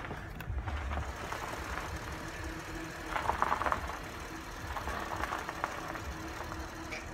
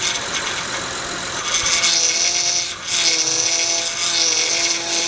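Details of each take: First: Acura MDX after the power steering whine fix, air bled from the system: engine idles evenly while the wheel is turned left and right, with no pump whine: quiet power steering. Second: Acura MDX with running engine: steady power steering whine that dips and returns as the wheel is turned; O-rings at the high-pressure hose and hose-to-reservoir connection to be replaced.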